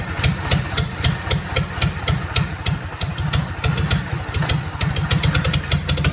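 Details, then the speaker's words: Willys flathead engine overhauled with used parts, first run after rebuild with valve train left open, blowing off diesel: steady, even low chugging idle with regular firing pulses, no knocks, ticks or weird noises; normal idle. "sounds good doesn't sound bad at all no I don't see you hear any weird noises"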